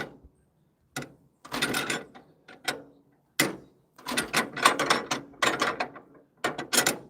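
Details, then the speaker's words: 1940s wood splitter, International Cub engine, cold, hand-cranked: uneven ratcheting clatter with no firing or pops; cranks but won't fire, poorly tuned carburetor suspected. "As you hear, nothing's happening yet. Now, if I had a properly tuned carburetor, it would have kicked off and started already, but I don't."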